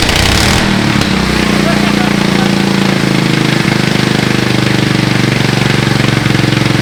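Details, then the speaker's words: Riding lawn mower modded with a 450 dirt bike carburetor and high-flow header exhaust, first start, decompressor noted: rapid, very loud, even exhaust popping settling into a steady idle with no misfires; just a loud free-flowing exhaust. "oh stupid decompressor in least junk oh my gosh that's loud going idle I it's going even idle give her"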